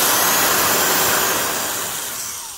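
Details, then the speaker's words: Porter-Cable 372 classic 1/2-inch heavy-duty D-handle drill, 3.6 A motor, after heavy bogged-down load: strong even fan air rush fading smoothly as drill winds down; motor healthy. "that's exactly the kind of situation that makes a tool actually heavy duty is the fact that it can be run bogged way down like that"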